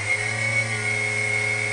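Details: WWII-era RT-7/APN-1 radar altimeter switched on in lab: dynamotor producing high voltage gives a steady, even high-pitched whine with low hum underneath as current jumps then settles toward 2.5 A while tubes warm; normal dynamotor whine.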